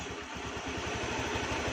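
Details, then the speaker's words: Honda Beat scooter after replacing mismatched CVT rollers (three small, three large), test-ridden about 2 km; soft even low putter with steady firing, no rattle or knock; normal idle. "sekarang hasilnya sudah lumayan halus ya kayaknya tidak seperti tadi"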